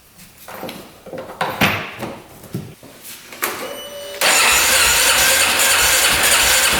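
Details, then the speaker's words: 2010 Polaris Sportsman 550 EFI ATV with airbox refitted: several cranking bursts and stumbles over about four seconds before catching into a steady run; still starts hard and needs a little throttle; power steering code 520230 with a suspected low battery. "No, I'm still starting pretty hard."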